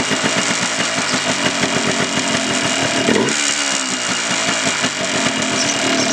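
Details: 1989 Yamaha Blaster 200 two-stroke after sitting 15 years, carb work, airbox cover and last muffler baffle removed, still warming up; loud slow lumpy idle about five beats a second, mixture adjuster little effect; idle too low.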